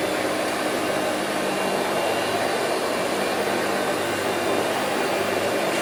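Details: Two-speed Hoover Celebrity QS (Quiet Series) vacuum on low speed with the power nozzle plugged in: a steady, even rushing whir of constant pitch, no surging or rattles; normal running (owner notes some bearing noise at wind-down).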